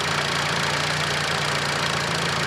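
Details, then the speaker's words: 1991 Fiat Panda 4x4 with Fire IE engine and Bosch ECU 0280000759, after adjusting tick-over speed that had been racing, evap vacuum lines blocked with bolts; steady even low idle, smooth hum, no surging. "Oh, it ticks over much nicer now, look. Before it was racing and going crazy."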